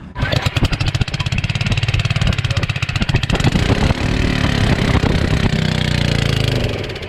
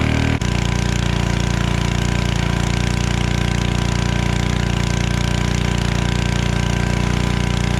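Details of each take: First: Generac 01292-2 pressure washer small engine, after carb cleaning: an uneven, surging single-cylinder popping as it runs weak, not at full power, then dies; cause not yet identified. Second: Generac 01292-2 pressure washer after carburetor replacement and pump bearing replacement and new oil, running with water: steady even single-cylinder drone with regular firing pulses, no knocks or rattles; works, healthy.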